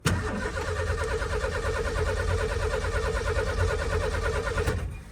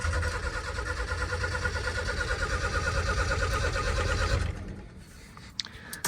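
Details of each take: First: 1989 Ford F-150 XLT Lariat EFI, after a new gas tank was fitted, with about four gallons in the tank: steady cranking about three turns a second, then it fires and runs, which it didn't before. Normal start. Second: 1989 Ford F-150 XLT Lariat EFI barn find after power washing: starter churns about three turns a second for over four seconds but never catches; cranks, no start, owner suspects weak fuel pump.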